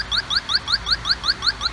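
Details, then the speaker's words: Pittsburgh Automotive (Harbor Freight 92514) electronic halogen refrigerant leak detector probing at the A/C evaporator drain: even rising chirps about four to five per second, slow because the probe is pulled away from the leak; evaporator core leak confirmed. "Now just pay attention to the beeping. The faster you hear the beeping, the closer you're getting."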